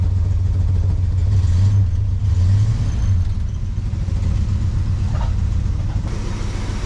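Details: 1968 Dodge Charger original 318 V8, long parked, restarted while bleeding power steering with good oil pressure; an unidentified noise was later traced to a loose pulley/belt: deep, steady burble, no knocks or misses, normal idle.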